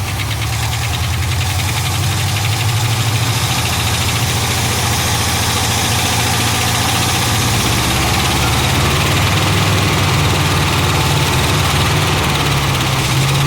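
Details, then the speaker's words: 1975 Ford F500 rollback truck V8 after 17 years in a field, first run; exhaust blown out from suspected backfire: loose, quick clatter over a low, slightly uneven idle, rattling from the top of the engine. "yeah well it's gotta be getting fuel got some rattling on the"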